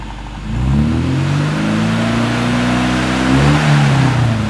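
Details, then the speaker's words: 1974 Mini Cooper, long unrun, still warming up: revved to 3,000–4,000 rpm then once to 5,000–6,000 to clean it out, pitch climbing and falling smoothly, slight smoke; healthy free revving. "ease up into like the three to four thousand range and then rev it one time up to the five to six range clean her out a little bit"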